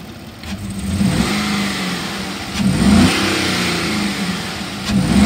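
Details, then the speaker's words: 2013 Chevy Caprice PPV 6.0L V8, 58,209 miles, idling after a 45-minute run following a jump start, then three revs: it revs cleanly but the beat is uneven. Steady misfire, with check engine, stability and traction lights on. "it's got a steady misfire I don't know if you can see it on the video but it's steady steady bouncing I'm going to rev it up so you can hear it the engine sounds good and it does rev up well but it does have a steady misfire listen"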